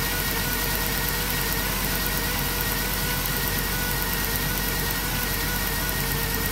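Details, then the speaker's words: 2007 Dodge Grand Caravan V6 at idle: steady beat with a faint uneven stumble; misfire from a damaged plug wire boot arcing to the block, found with a timing light after a coil was suspected; plug wires need replacing. "well that's what's going on the spark plug wires damage look at that so we gotta replace the plug wires easy fix"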